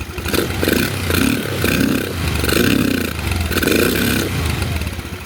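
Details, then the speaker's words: SunL Chinese 150cc GY6 quad after swapping tank and fuel lines and a fresh battery: rises and sags in uneven surges about once a second, stumbling as revs climb; idle fine but bogs higher, carb high-speed jet suspected, not confirmed. "So, it does sound like the uh carb the carb might need to come off cuz the idle the idle jet sounds like it's perfect, but once it gets up past a certain rev range, uh these carbs, they they kind of move over to another jet, um if I'm remembering correctly."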